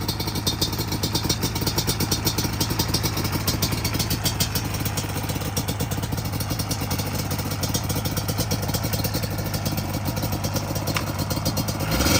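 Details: Customer two-stroke J-arm bike of uncertain year (possibly 1989), after a carb rebuild with the idle and air screws adjusted, engine moderately warm. Crisp, even crackle holds a steady idle with no hunting or bogging: running good after repair.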